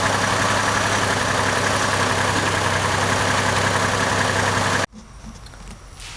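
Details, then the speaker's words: 2002 Chevy Trailblazer after replacing an ignition coil, likely failed from water intrusion after heavy rain: steady, even idle hum with no skips for about five seconds before cutting off. The misfire is fixed. "it sounded aqua before but it's just purring now it looks like we can fix our issue"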